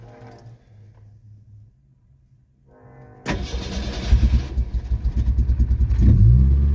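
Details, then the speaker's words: Danger Ranger's first cold start of 2024 after sitting about a year: brief crank, catches almost instantly and settles into a steady, slightly lumpy cold run; healthy start. "Woo! Fired right up. That wasn't even an issue. It took a nanosecond."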